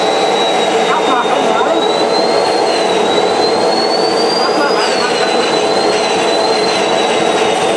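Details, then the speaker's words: Homemade jet engine 4.0, second test run with new ceramic glow plug igniting; loud rushing roar with thin high whine wandering without climbing, engine won't self-sustain; rotor hitting housing from thermal expansion, fixable by machining housing on lathe. "At least the first obvious reason why the engine didn't run after all is that the has hit the housing again due to thermal expansion."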